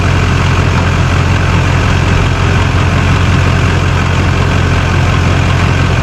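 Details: Warmed-up Duramax diesel truck after installing an added transmission oil cooler for overheating while towing: deep, steady idle with an even low rumble and no knocks or misses. Normal diesel idle.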